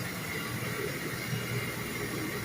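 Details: Chiller for a PECVD tool in the service room running normally before shutdown: steady even hum with constant low drone and hiss, no knocks or surging; compressor/refrigerator vibration noticeable while running.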